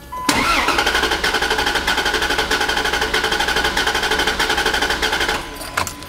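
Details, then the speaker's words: 2011 Ford F150 cranking with the cylinder 2 spark plug purposely removed to emulate low compression, while an amp clamp on the starter cable measures current: the crank rhythm is uneven, with one beat per cycle spinning faster and lighter. Low-compression cylinder. "I have purposely removed the spark plug from cylinder number 2. That kind of emulates a low compression cylinder."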